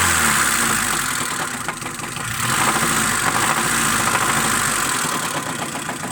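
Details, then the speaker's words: Honda Civic Shuttle, ZC engine: busy engine note with loose, irregular tapping on throttle blips, apparently near the cylinder head. Top-end knock when revving, cause not confirmed. "как стучит двигатель. Где-то в районе головки. При газовке"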